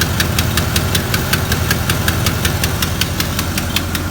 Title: Chevy 350 engine ticking noise 2